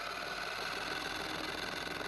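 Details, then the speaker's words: Motorcycle cruise control prototype rig: DC motor driving a flywheel makes a fast, rough whirring with a gritty, pulsing grind; one or two broken gear teeth in the motor, also causing RPM fluctuations. "if you listen closely you can actually hear the grinding coming from the motor that's because one or two of the teeth are actually broken"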